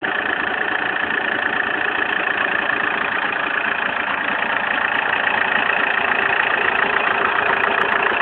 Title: bruit moteur zafira.mp4